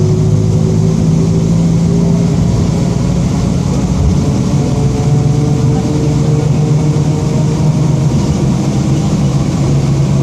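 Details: 2007 Marcopolo Torino city bus on Mercedes-Benz OF-1722M diesel chassis, Grande Londrina fleet 3311, under way; heavy diesel drone with low steady growl holding with road speed, a growling rear differential.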